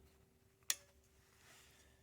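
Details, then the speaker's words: 1948 GMC Silversides bus air-powered wiper motor, cleaned and lubed: single crisp click over faint hiss as the air valve switches direction between the two piston chambers; normal valve operation. "That's a valve that changes the direction of the air pressure. So there's actually a piston."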